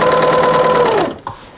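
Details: Second-hand single-needle narrow serger, possibly from the 1980s, trimming about an eighth of an inch off seams: smooth steady high whir with even stitching buzz winding down cleanly to a stop; machine running normally.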